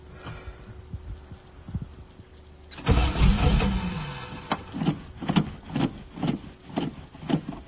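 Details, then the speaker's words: 1985 Chevrolet Camaro IROC-Z Z28 abandoned 10+ years in a field, restarted on carburettor fuel after tapping a possibly corroded starter: cranks, catches, revs, then steady pulsing run without knocks or misses; running normally. "Okay, we're running again. Sounds good."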